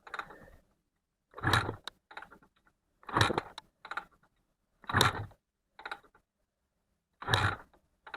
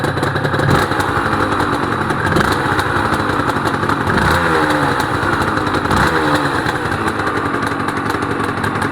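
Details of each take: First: Honda NSR250R-SP MC18 250cc two-stroke grey import, first start attempt of a restoration, carbs filled, ignition, kill switch and choke on: about five kicks, each only a mechanical clatter with no firing. No start, no spark, from dirty kill switch contacts. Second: Honda NSR250R-SP MC18 250cc two-stroke grey import on JHA pipes, start of a restoration project, recorded from low down near the pipes: crisp, even ring-ding idle with light blips and no misfire or clatter. Normal two-stroke idle.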